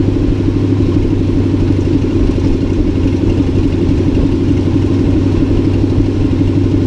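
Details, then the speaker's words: 1963 Ford F-100 short bed started after wiring repair, with an ignition fault still to sort out: a steady, even idle with a regular exhaust beat and no knocks or misses; oil pressure looked good, so the engine seems fine. "But it did have, I noticed it had some good oil pressure, so I think we're fine."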